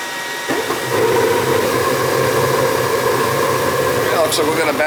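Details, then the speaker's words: Attic gas furnace serving a non-working second floor, with thermostat red and white wires jumped: soft thump as the burner ignites, then a steady even roar of flame and blower, no rattles or surging. The thermostat or its subbase is suspected bad. "yeah i think we got a bad thermostat downstairs but just jumped out red and white and she fired up right"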